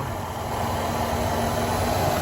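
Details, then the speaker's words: 1988 Ford Econoline E150 4.9L after serpentine belt replacement for a squeak, no belt dressing used. Smooth, even low idle hum with no chirp or squeal; quiet and healthy. "she's as quiet as ever let's hope she stays like that"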